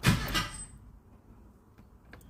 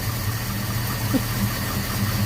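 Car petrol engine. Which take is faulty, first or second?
first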